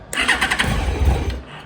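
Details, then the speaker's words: 2001 Yamaha FZ1 four-cylinder after carburetor rebuild for fuel leak, choke pulled, before carb synchronization: brief crank then catches immediately and fires cleanly, settling to smooth running with no fuel leaking; healthy start. "this is running pretty smooth i don't see any fuel leaking that's always a good sign"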